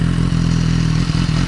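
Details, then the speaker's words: Motorcycle (the RR) idling with a Power Commander fitted: steady beat stumbles a few times, just missing here and there. New spark plugs and changed, swapped coil packs did not cure it; cause unconfirmed, Power Commander wiring suspected. Misfire at idle. "So it's just missing a little bit here and there. I've put new plugs in. I've actually changed the coil packs."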